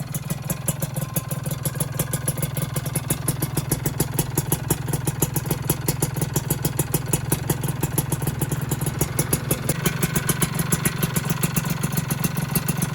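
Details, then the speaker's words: Freshly rebuilt two-stroke engine on first run with a new piston, RTX exhaust and box filter: fast, sharp metallic ticks over a rattly idle, gone when revved and returning off throttle. Piston slap, hoped to fade once the piston expands when hot. "Nah sekarang ini agak sedikit adem teman-teman, kritiknya ya kalau panas. Ya mudah-mudahan nanti bunyinya hilang ketika pistonnya udah ngembang."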